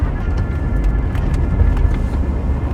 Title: Volvo S60 2.4 170 Hp (2004) whining noise while driving